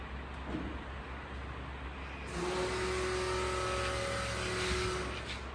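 Quiet background, then the V8 catches and rumbles with a deep, steady exhaust note and smooth blips; runs clean and healthy.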